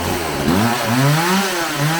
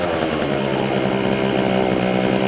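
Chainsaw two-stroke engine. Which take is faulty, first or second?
second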